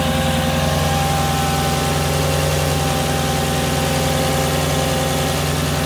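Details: Mercedes C55 AMG M113 V8, first start after installing NUKE Performance fuel rails: settles into a steady, even idle with a smooth low burble and no misses or ticks; the engine sounds healthy.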